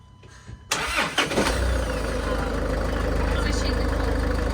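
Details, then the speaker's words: High-mileage Range Rover Evoque: starter labours briefly and unevenly before the engine catches and settles to steady idle; slow crank, owners conclude it needs a new battery. "feel really sorry for it that's hilarious you really so we need to get a new battery for it"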